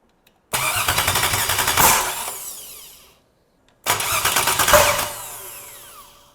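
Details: Freshly built stock LS1 V8 with Summit heads and hardened pushrods, first fire-up attempts: fast cranking catches, runs ragged and uneven about a second each time, then dies; rough running, cause not confirmed.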